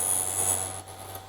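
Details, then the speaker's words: Vevor drill bit sharpener, bit chuck pushed in and moved lightly back and forth: thin, steady high-pitched grinding hiss over a small motor hum, dipping briefly as the bit shifts; normal sharpening. "You turn the machine on. Now, just going to push it in. You can hear it start grinding. Just lightly go back and forth."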